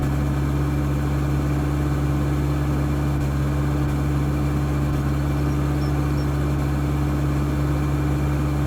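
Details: Mitsubishi 4D56 diesel idling with a low, uneven throb that never settles, with excess smoke; rough idle, cause not yet known.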